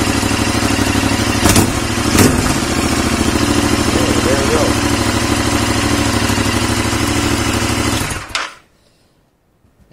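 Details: 2021 Royal Enfield Continental GT 650, first start after valve adjustment and reassembly: fires quickly, holds a smooth, even idle for several seconds before shutdown, no valve-gear ticking; healthy.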